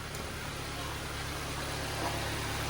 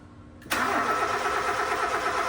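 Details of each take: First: Nissan Sentra that would not start because there was no power to the ignition coils, now idling steadily and evenly with no misses; check engine light still on, overheating also reported. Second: Nissan Sentra/Grandeur that will not start, with no power at the four ignition coils; owner suspected the computer box: the starter spins the engine with an even, steady churn but it never catches.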